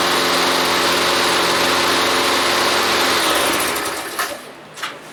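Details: Free Toro lawnmower's small single-cylinder engine after the repair, fired up: it buzzes at a steady, even pitch with no squeal, then cuts off cleanly; normal running.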